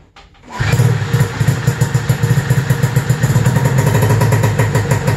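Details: 1995 Arctic Cat ZR700 carbureted two-stroke snowmobile engine after spark diagnosis: catches after brief crank, settles into steady even idle about four pulses a second, no misses or knocks; normal idle, engine sounds great.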